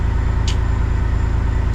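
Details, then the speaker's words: Kenworth cabover diesel under restoration. Deep, even thrum with a quick steady pulse and no knock or miss; normal diesel idle. "Just a couple little things. It should be good to go. God, that sounds good, though."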